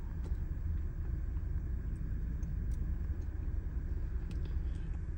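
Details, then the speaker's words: 2015 Ford Expedition six-cylinder at idle, plugs replaced and injectors cleaned: low rumble with uneven, stumbling beat and irregular dips; scan-tool misfire test shows three cylinders misfiring lightly all the time, coils to be checked next. "तीन cylinder इसके miss fire कर रहे हैं। हल्काफुल्का mess fire है। किसी time ज्यादा भी करते हैं। लेकिन हल्का-हल्का जो है हर टाइम मिस फायर रहता है। गाड़ी इस टाइम भी मिसिंग कर रही है।"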